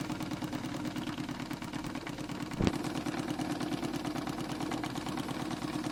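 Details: Renovated Stuart D10 double-cylinder steam engine for an RC live steamboat, with new Teflon cup pistons, run through its speeds: light, even chuffing at about three beats a second, one brief knock mid-clip; normal running.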